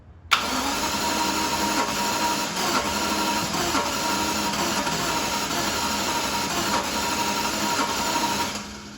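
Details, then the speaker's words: Jaguar XJS cranked after priming the fuel pump, with a suspected seized air pump being checked. Long steady cranking whir with only an occasional weak catch and no pickup: cranks but won't start, only one cylinder firing. "Sounds like one cylinder's hitting and that's it."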